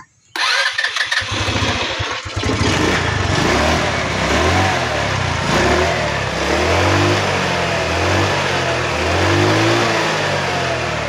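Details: Hard-starting, misfiring motorcycle after cleaning the spark plug: catches quickly after a brief crank, settles into a steady idle with light throttle blips, running clean and even without misfire.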